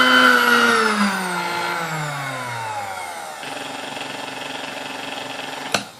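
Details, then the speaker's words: Vintage Sunbeam Mixmaster Model 12 after service, speed adjustment check with beaters fitted: motor whine sweeps down then settles to a steady, even hum with no rattle or grinding; runs healthy. "I mean that sounded pretty good to me"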